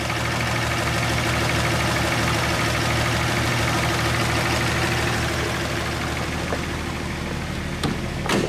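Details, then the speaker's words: 1938 Chevy Coupe Master Deluxe six-cylinder idling right after valves were adjusted and distributor timing was reset (it had been out of time): even, quiet idle with soft steady low hum, no misses or knocks; running healthy. "now we have the engine time you can hear how quiet this little engine is"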